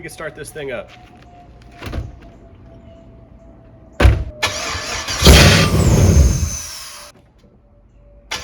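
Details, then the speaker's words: Land Rover Discovery 2 with swapped LS V8 after new wiring: starter whirs, engine catches for one sharp rev under two seconds then dies immediately; oil pressure light on, owner wonders if a safety shutoff causes it, unconfirmed. "so it kind of starts it turns over you can hear it does that first rev and then it immediately shuts off um I'm not sure what's causing that"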